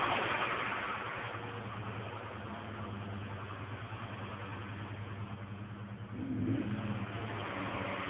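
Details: Ford Escort Zetec, problem began after oil change to 20W50 anti-sludge oil: idle wavers unevenly with occasional stumbles, recovers when revved; car also drives poorly during episodes; rough idle of unknown cause.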